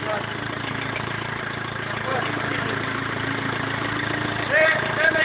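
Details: BMW E46 320d 150hp diesel, first start after engine overhaul following swirl flap failure: steady, smooth idle with light even clatter and a couple of small revs; normal diesel idle.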